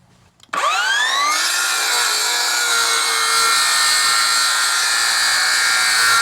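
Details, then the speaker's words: RYU RCCS185 cordless circular saw making a single crosscut through 2x6 timber with its stock 24T blade: a sharp rising shriek holds as a steady piercing scream through the wood, showing the stock blade is poor quality. "Ya, dari suaranya kedengeran ya, kayak menjerit gitu. Itu menandakan blade-nya nggak begitu bagus."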